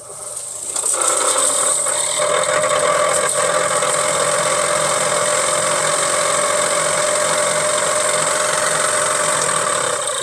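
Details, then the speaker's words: 1963 Ford Falcon Futura heater blower motor run with the dash opened, old cardboard plenum full of leaves: steady fan whir with light irregular rattle as chunks of debris are thrown out; blower wheel clogged with leaves and debris. "yeah it's it's it's just blowing out a bunch of chunks of [Music] stuff"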